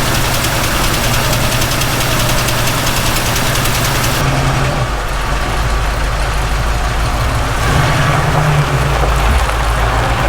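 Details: 1967 Ford Mustang V8 after carb reassembly; deep even burble dropping to a lower steady idle, no stumble or knock; possible vacuum leak suspected at the carb; normal idle.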